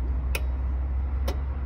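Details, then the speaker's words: Camper van in Portugal that won't start: two lone sharp clicks about a second apart over a low hum, no cranking; faulty starter circuit connection, later fixed by reinstalling a relay. "Je sais pas ce qui bloque. T'entends ce petit clic là?"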